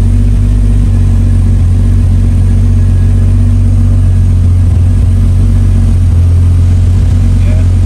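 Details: MK3 Supra, stock block, Haltech standalone with retuned cranking and fuel tables: catches at once and holds a strong, steady low rumble with even firing and no misses. Starts and runs cleanly, as normal.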